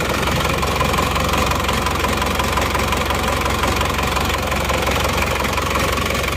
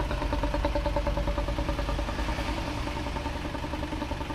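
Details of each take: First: Isuzu Panther Touring diesel, overhauled a year ago but blowing by again; cold idle rough and shaking with heavy hammering knock, loping beat, one cylinder weak; mechanic suspects scored liner. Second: Isuzu Panther Touring diesel, rebuilt a year ago, after second overhaul with original liners restored, camshaft bearings replaced: warm idle now smooth and even, steady low clatter, no misses; exhaust smoke clean, no blow-by pressure at dipstick. Normal idle.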